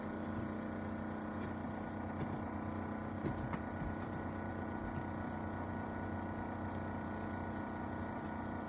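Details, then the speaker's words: Refrigerator used over 20 years that no longer cools and whose freezer won't close: loud, steady low groaning drone far rougher than normal fridge hum, suspected to come from the worn compressor. "最後にね、すごいまたうなっているので、その音を取っております。もうね、すげえ音だよね。"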